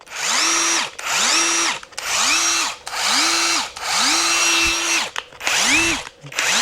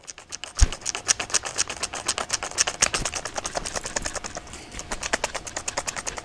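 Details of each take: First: Kincrome cordless 1/4-inch impact driver, 225 Nm, on speed setting 3: about one-second bursts winding up to a steady high motor whine then dropping away, takes a second to ramp up; normal run. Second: Kincrome battery drill running with the chuck on and the clutch engaged: a fast train of sharp, unevenly spaced clicks, about six or seven a second. Odd ratcheting noise; the owner is unsure whether it is normal.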